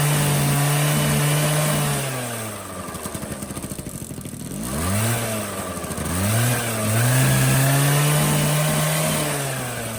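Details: 1985 Honda Spree two-stroke scooter, after burning out a carbon-plugged muffler that caused its no-power bogging: idles crisply, then climbs and drops through several clean revs with no bogging; pulls freely, healthy.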